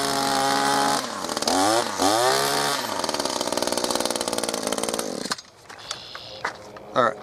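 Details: New Echo ProXtreme SRM-2620T line trimmer, first start, possibly flooded, small two-stroke buzzes unevenly, revs sag and surge twice then stumbles and quits; rough running, fuel still reaching carburetor.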